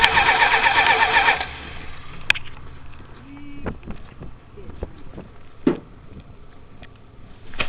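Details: 1978 Chrysler Cordoba at a flea market, choke held partly open by hand, possible flooding: starter spins the engine steadily at about four turns a second for just over a second, then stops without catching; hard start, cause unknown.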